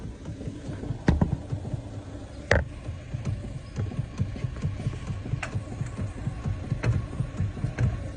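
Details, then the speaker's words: Ford Figo steering column cross (universal) joint with heavy play, previously welded by another garage, being replaced with new: sharp clicks and dull clunks over low rumble as the wheel is worked; worn steering column joint. "यति प्ले छ यो गाडीको steering cross हो हेर्नुहुन्छ पहिला बनाएर हालेको थियो पुरै प्ले थियो यो हामीले रिप्लेस गर्दैछु नयाँ हालेर"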